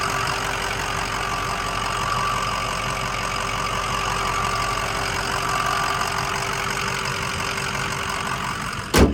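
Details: 2005 Ford Excursion Eddie Bauer 6.0L Powerstroke diesel 4WD, 185k miles, turbo resealed and new up-pipes, no warning lights: steady idle with even clatter and a faint constant turbo whine, no knocks or misses; normal idle.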